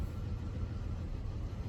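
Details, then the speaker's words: 2006 Buick Rendezvous at idle during a cylinder power balance test with an Ancel X7 bi-directional scan tool disabling injector one; low, lumpy, uneven stumbling idle; misfire from the cut-out cylinder. "okay start an idle engine so we say injector one now it's running rough"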